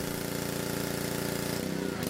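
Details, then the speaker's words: Pressure washer small engine after pump replacement, water hose attached and air purged, pump set to 2,500 psi: steady, even buzzing idle with no knocks or rattles; runs smooth, normal. "Looks like it's working just as good as it always did."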